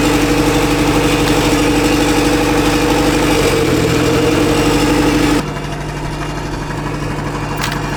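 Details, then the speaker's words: Turbocharged $500 Honda Civic engine, after hard driving and heavy oil loss with suspected ring damage, smoking from the exhaust: rough, lumpy idle stumbling about three times a second; cylinder three is not firing, dead cylinder misfire. "so we have determined that cylinder number three is fricked it's not running on cylinder number three"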